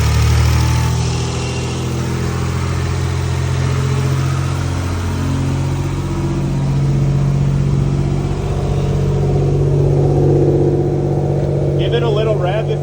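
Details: BMW E46 ZHP turbo, freshly rebuilt forged M52 (new bearings, rings, forged rotating parts, cams), first start on a base map: smooth, even idle with gentle blips rising and settling cleanly, no ticking or knocking; healthy.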